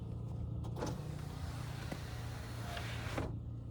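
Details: Opel Astra G Bertone convertible, window actuation test run from diagnostic tool: steady even motor whir about three seconds with no grinding, clicks or strain, then a clean stop; normal power window operation.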